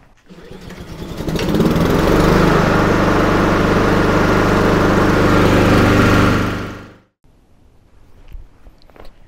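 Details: Honda HRR2169VKA lawn mower right after an oil change, fuel valve opened: catches quickly, settles into steady even drone for several seconds, then winds down cleanly; healthy.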